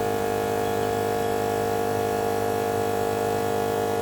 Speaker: it's pretty loud i clicked it on just to see what it sounded like definitely sounds like it moved some air